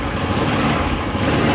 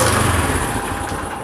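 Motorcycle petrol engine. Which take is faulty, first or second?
second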